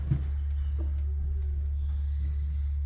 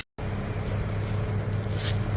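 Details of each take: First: Heat pump after installing line set vibration absorbers, heard inside the house at the loudest spot: faint constant low hum, much quieter than before; refrigerant line vibration still carried indoors. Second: Heat pump outdoor unit after fitting lineset vibration absorbers on 3/4 and 3/8 lines: steady low hum and even drone, no rattles; still wiggles slightly but much quieter inside the house than before. Normal running.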